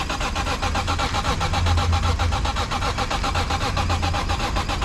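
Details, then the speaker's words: BMW E46 M3 during SMG-to-manual swap: steady starter churning about four beats a second for five seconds, engine never catches; crank no start, owner suspects battery needs charging. "sent me a video of the car starting, but I think it needs that charge."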